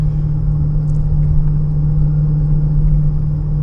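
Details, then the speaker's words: 2015 Honda Pilot, 64,000 miles, hot 102°F day, test drive at 25-40 mph: steady airplane-like whining hum, louder when steering left and quieter right; driver-side wheel bearing suspected over the AWD transfer case. "So 25, 30, 40, you can hear the whining sound like airplane. If I pull to the left, a little bit more noise than the right side."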